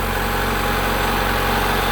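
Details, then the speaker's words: 1990 Honda Accord 2.2 4-cylinder at idle, after repairing bad alternator harness connector that prevented charging: smooth steady idle, no stumbles or misses, charging voltage now about 14 V; normal idle. "repair is pretty much complete all right and she's running charging voltage on the scope looks pretty good"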